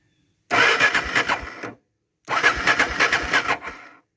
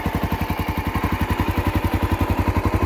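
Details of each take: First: Honda XR650L adventure build, in neutral: two short bursts of even starter chugging, about a second each, and the engine never catches because the ignition was left off. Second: Honda XR650L single-cylinder idling on the stock exhaust tip after jetting adjustment: steady, even deep thumps about three and a half per second, throaty but clean; smooth, healthy idle.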